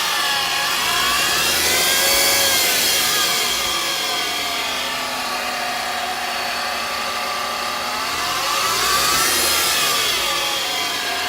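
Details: 2008 Mercedes-Benz C300, running engine: high droning whine rising and falling with revs, persists after warm-up; caused by a failing alternator, replacing it removed the noise.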